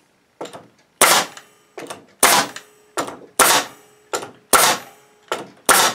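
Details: Bostitch N75C-1 nail gun on a Makita MAC2400 compressor, regulator at 100 psi, tank full at 130 psi: sharp cracks about once a second, often in quick pairs, each with a clean hiss; nails drive properly, pressure keeps up.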